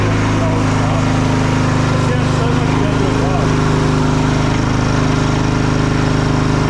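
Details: Old Modra generator, after carburetor replacement and an oil change. Steady, even drone at constant speed with a smooth low hum and no surging, knocking or misfires; the generator is running properly.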